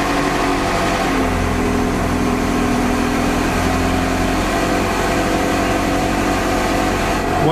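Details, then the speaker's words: Ferrari 360 cold start after cleaning both MAF sensors to fix cold-start problems: starts with decent revs and settles into a steady even high idle, no stumbling or hunting; normal cold start, fix worked. "that's actually way better that started with a decent decent revs amazingly"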